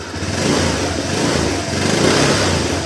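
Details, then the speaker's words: Honda Vario 125 scooter with long cranking and hard starting, after teardown: starts instantly, engine smooth, idle normal, revs cleanly on throttle blips with no misfire or stumble; normal revving. "Oke. Lihat langsung grank normal. Oke ya. E mesin halus. Motor juga langsam normal ya."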